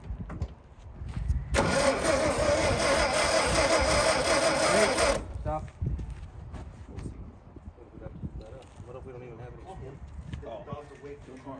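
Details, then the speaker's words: All-original 1959 VW Beetle, in neutral, oil bath breather removed and starter fluid sprayed: starter turns engine steadily about three turns a second for four seconds without catching; fuel not reaching carb suspected; cranking no-start. "yes it's not getting the gas up there yet though that's for sure"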